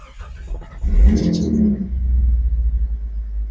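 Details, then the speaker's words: Engine just after installing a universal 2.25-inch catalytic converter and clearing O2 codes, first start: it catches and settles into an even, deep, richer exhaust rumble with no rattles or leaks. Normal exhaust note. "definitely different kind actually much richer in sound let's go check it yeah definitely has a richer note"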